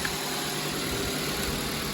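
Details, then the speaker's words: 2012 Mazda 2.0 started after replacing the alternator, whose bouncing voltage regulator lit the red battery light, and refitting the belt: steady, even idle with a constant hum and no knocks, misses or squeals. Battery light now off. Normal idle. "Now let's start it up. There you go. It's running."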